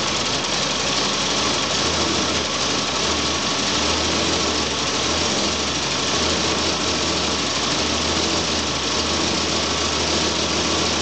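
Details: Volvo 965 2.5 brought back from the dead, at idle: steady idle with an uneven, lumpy beat and a hissy top end; rough idle, cause not confirmed.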